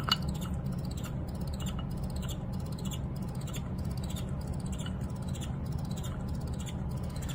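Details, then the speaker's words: Resonant free-energy coil setup driven at about 17.9 V without the interference pattern: thin high chirps repeating roughly every half second over a low steady hum; the driven coil itself is squealing, an unusual new noise. "listen to it squeaking what the f where is that coming it's coming from the coil it's still making the noise I've never heard the system do that before"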